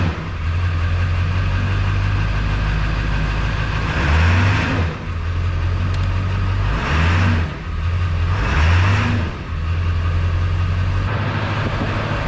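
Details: Ford Powerstroke diesel (1999–2007) started after glow plugs went out, with newly installed FASS lift pump primed: steady, even idle with a smooth low rumble and a few brief rev swells, no knocks or misses; healthy.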